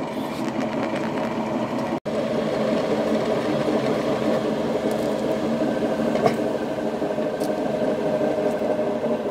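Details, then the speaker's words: Denis Cimaf 180D forestry mulcher head on a well-used skid steer, drum spun by an electric motor with the hydraulic motor disconnected; fast rattling rumble from the drive (pulley) side bearing, about 0.010 in play, judged shot; other side sounds normal. "If you hear that noise there, that's the bearings. [Music] The other side doesn't sound like that."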